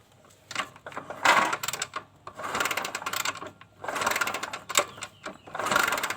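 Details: Kawasaki Kaze motorcycle that has lost ignition: repeated kick strokes spin the engine with a mechanical churn, but it never fires. The stator coil was checked and still sparks, so no spark from a dead CDI is blamed.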